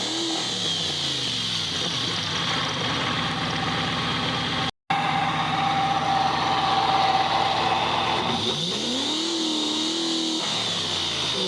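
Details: Subaru engine recorded close under the oil pan, checking for a previously heard tick: smooth blips settling back to idle with no tick or knock; sounds all right.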